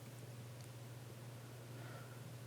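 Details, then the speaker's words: DigiBee DB800 LED light with loud original 50mm fan replaced by a quiet 40mm Noctua fan: only faint steady low hum, no ticking or rattle, barely audible — normal fan operation. "here we go so quiet I"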